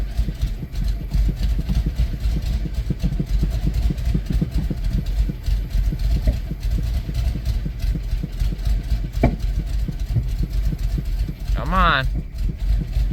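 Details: 1993 Plymouth Grand Voyager SE parked 18 years, after fuel pump and pressure regulator work: uneven idle with irregular low thumps as one or two cylinders drop out, briefly evening out as one catches; engine misfire.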